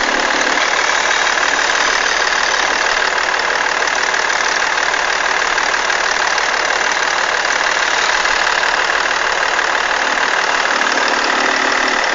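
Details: BMW E46 330d diesel at idle: steady light rattle about three times a second over the clatter from the belt tensioner area; owner suspects bad alternator tensioner.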